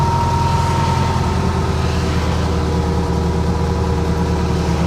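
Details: 1976 VW Fusca (Beetle) at steady idle with a constant humming whine riding over it, not wavering: the alternator bearing growling again, as it has before.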